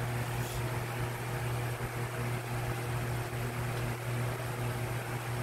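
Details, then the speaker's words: Lasko 18" stand fan model 1820 (2006), five-blade, on high: steady rushing airflow over a low motor hum with an even swish. Owner suspects the flat-edged blade design; unconfirmed. "so I'm not sure if you were able to capture that but it makes a swishing noise"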